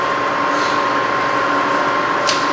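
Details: Rebuilt Bridgeport milling machine, 42-inch table, variable speed head running: clean steady motor hum, constant mid-pitched tone, no grinding or rattle; normal spindle run.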